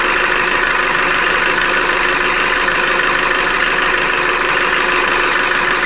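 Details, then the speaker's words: Opel Corsa D, A14XER 1.4 petrol, 65,000 km, codes P0011/P0014, timing chain possibly replaced before: cold idle with busy metallic rattle and light knocks about every second; timing chain knocking until warm, chain tensioner blamed hot. "в общем вот этот стук он исходит от цепочки пока автомобиль не прогреется"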